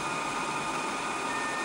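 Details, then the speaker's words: 4O3A Power Genius XL amplifier transmitting FT8 on 6 meters at about 450–500 W, amp around 60°C, heard from the back on the broadcast (maximum) fan setting: loud steady rushing whoosh with a faint high whine, no rattle. Fans are normal. "This is broadcast. Okay, they scream at broadcast."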